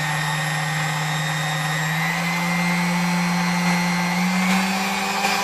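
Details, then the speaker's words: 1936 Sunbeam Mixmaster Model 3 after full restoration with new grease, cord and feet: steady smooth motor hum with a clean even tone rising slightly as it settles, no rattles or grinding; runs healthy. "Alright, so as you can tell, it runs nice and smooth, sounds good, and should run for many years to come."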